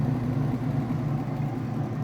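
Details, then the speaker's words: Whirlpool direct drive washer final spin, speeding up as water is extracted: steady, even low hum with no knocking or scraping; smooth, healthy spin. "It's still getting little bits of water out as it speeds up. So the more water that's extracted, the faster it'll go."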